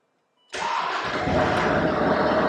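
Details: TD5 diesel swapped into a Land Rover Discovery 3 with a 6-speed manual, first firing after fitting an extra 4–5 bar fuel pump and bleeding: a brief crank, then it catches at once and settles into a steady, even run with no misfire.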